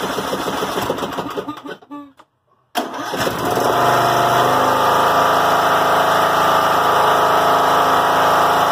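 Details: John Deere L100 rider, Briggs & Stratton Intek 17 hp, before repair: cranks, catches, settles to fast steady drone, idle stays high; governor ruled out, bent governor spring found.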